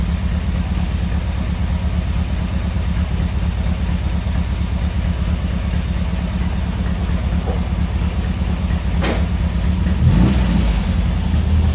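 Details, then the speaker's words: Lumpy, uneven idle loping irregularly at about two beats a second, sounding like a big camshaft but thought to be a cylinder miss instead; cause unconfirmed. Rough idle. "it sounds like it's got a big camshaft load but it's just a miss i think"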